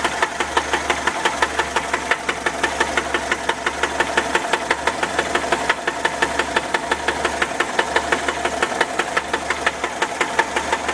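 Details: 1979 Volkswagen Type 4 air-cooled engine idling with a sharp, steady knock about three times a second.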